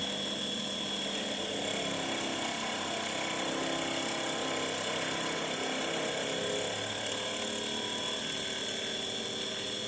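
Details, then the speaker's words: Seoul Master Gas 21 wall-hung gas boiler circulation pump: constant rough whirring hum with a thin high whistle; the pump may bind and seize intermittently, which can cause boiling in the heat exchanger and safety-thermostat error A4; pump replacement recommended. "А если наш насос заклинивает, то в теплообменнике происходит закипание и термостат, предохранительный термостат по температуре дает ошибку А4 на котле Сеул. Вот такой звук насоса. Довольно неприятно."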